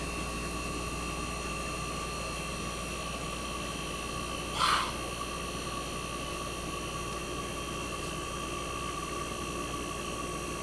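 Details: 1965 Fedders Weather Wheel air conditioner just after cold start in a very cold shop: quiet even hum, steady tones, one brief click, no knocks or rattles; compressor smooth at almost 59 revolutions per second, head pressure starting to build, already ice cold.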